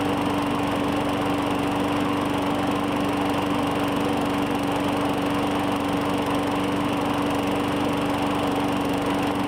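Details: 2017 Murray 21" mower, Briggs & Stratton 450E, after cleaning the clogged plastic carburetor's brass inlet: steady even single-cylinder buzz with no misses or surging; normal running, no smoke.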